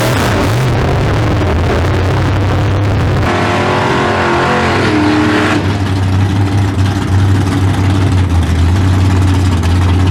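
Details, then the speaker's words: '57 drag car with big-block V8, new tunnel ram, PTC 3800 converter, track pass: roars at full throttle, revs sweep up then hang high and steady as it pulls; ran 7.69 at 85.96 mph, unchanged; owner thinks converter is slipping. "i think it's blowing through the converter it's quite possible blowing through it all right well we loaded it back up it sounds good just blowing through the converter"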